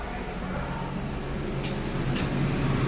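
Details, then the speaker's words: Honda Pilot/Ridgeline/Odyssey after new alternator replaced failing one that whined; smooth even idle with headlights high beam and max loads on, no whine, battery holding about 14 volts where it previously dropped toward 11. "there you go still maintaining 14 volts so yeah that's it for the video"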